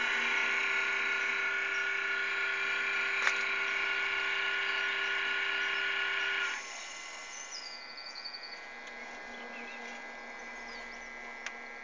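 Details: 3-year-old Xbox console, loud steady electric fan buzz for about 8 months that comes and goes, cutting off abruptly to quieter background; console later shut itself off; loud cooling fan buzz.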